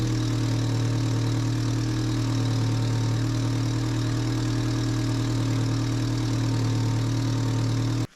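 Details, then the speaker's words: 1994 Suzuki Sidekick after new alternator/water pump and power steering belts were fitted and tensioned: smooth, steady idle with no squeal or chirp until shutoff; belts running normally. "Alright, alignment looked good. So we're going to end this video here. All the belts are still nice and tight."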